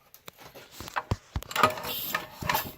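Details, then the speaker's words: Jiffy model 30 engine with a blown head gasket, about 50 psi compression, pulled over by hand without running. Small irregular pops and hissy puffs of air leaking on compression strokes. "I'm gonna pull it over see if you can hear it makes a little popping sound"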